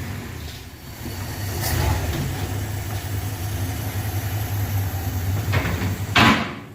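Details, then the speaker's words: 1966 Dodge W200 Power Wagon with a 318 Poly V8 after a transmission swap, driving off in gear. Steady deep engine rumble with no clunks or bangs from the driveline, way better than before. Normal manual transmission operation. "that's way better no more clunks bang booms"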